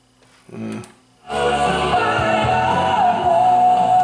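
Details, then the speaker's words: Sanyo dual cassette deck, second deck after head cleaning: music plays flat and muffled, lacking treble; head azimuth slightly off, then adjusted for sharper playback. "sounds a bit not sharp enough so we're going to just tune this up here there we go now we've got our we got our um azimuth a little better it was just a bit off there so we've adjusted it"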